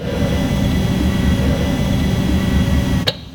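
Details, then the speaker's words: Audi S4 B8.5 after a starting issue caused repeated cranking until the starter smoked, suspected from low battery voltage: high even whir with no cranking beat, then cutoff; starter freewheeling, solenoid not engaging the flywheel. "what you're hearing in that second clip is actually the solenoid not engaging and probably because this starter is completely smoked"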